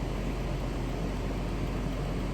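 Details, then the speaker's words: Ford F150: steady, even low idle rumble, no knocks, misses or ticks; checking gauges and oil pressure; runs nice. "Where are the gauges? Oh, gauge. That thing runs nice."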